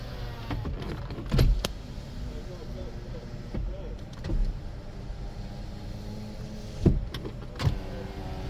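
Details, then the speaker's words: 2011 Toyota Camry pre-purchase inspection, power windows operated: smooth low whirring in short even bursts, each stopping cleanly, no grinding or straining; window motors work normally. "All the windows work. All the locks work [music] and the uh steering wheel controls do as well."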